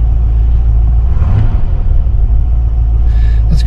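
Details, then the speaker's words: 1972 Mercedes-Benz 280SE 4.5 V8, cold start after adjusting the right-bank valves, which had a slight tappet noise: in park, smooth, even low rumble at about 1,000 rpm with no top-end tapping; a quiet, healthy cold idle. "Nice quiet engine. we're ready to take it on a test cruise."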